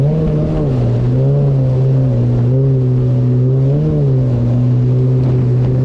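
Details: 2019 Yamaha GP1800R WaveRunner, supercharged 1.8L, test run on the water after supercharger clutch replacement: strong steady drone with smooth rises and falls in revs, no knocks or rattles; running normally.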